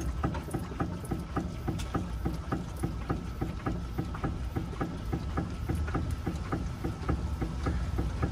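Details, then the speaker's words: Fiat (Novo Palio/Uno/Strada type) rocked by hand gives sharp metallic knocks about twice a second from a worn stabilizer link, its ball joint pin striking metal or worn bushing. "barulho que vocês estão vindo é a bieleta batendo tá a beleza tá batendo aqui ó ele para pegar melhor Tá certo ela tá batendo aqui dentro"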